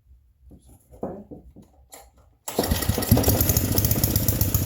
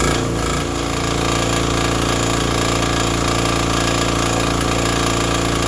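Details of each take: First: Vintage generator, after cleaning and finding stripped, loose bolts: fires and runs hard at a high, busy pitch; owner feels it runs faster than it should, no generator output, suspects a ground; cause unconfirmed. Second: Vintage Briggs & Stratton 5 hp generator that fired right up once the switch was set fully to on: a steady, even drone with a constant hammering beat while running a shop vacuum. No misses or surges; it runs healthy.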